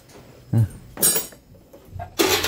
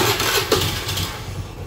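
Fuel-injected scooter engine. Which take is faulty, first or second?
second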